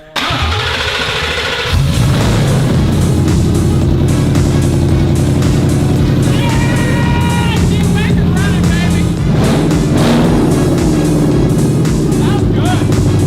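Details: Ford F-150 built into shortened mini V8 Raptor with custom fuel cell and aftermarket fuel pump, restarted after plugging the fuel pump in: silence, then the V8 catches and settles into a deep, steady, lumpy idle; clean start, no misfire.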